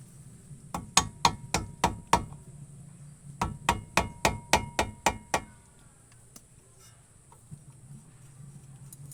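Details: Brake caliper removed, pads out, loose caliper guide/bolt pin shaken by hand: two bursts of sharp metallic clinks; temporary fix is wrapping the pin in teflon tape and greasing it.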